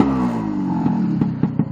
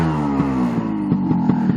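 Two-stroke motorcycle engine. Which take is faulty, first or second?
second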